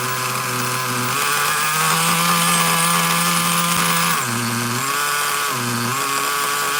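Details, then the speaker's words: Traxxas Nitro Slash nitro engine on the bench: a shrill high-revving buzz that stays elevated and dips only briefly. The throttle linkage is slightly off and holding the carburetor open, so it won't settle to idle. "Okay, looks like the linkage is a little off. It's going It's pulling on the carburetor just that little bit."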